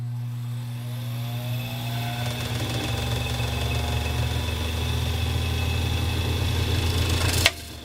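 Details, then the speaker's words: 1919 Singer 66 sewing machine fitted with a 0.7 amp motor, clutch disengaged so only the balance wheel spins: a steady low hum and whine climbing smoothly, then cutting off cleanly. Strong, normal motor run. "This machine I put a 0.7 amp on to accommodate some of the sewing needs of the customer, and it roars."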